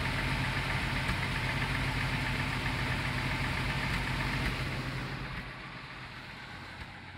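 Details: Full-size Jeep at idle: rough idle with rhythmic stumble and puffing about four beats a second, misfire from a spark plug in cylinder 6 fouled by excessive ash deposits, likely from a bad valve seal.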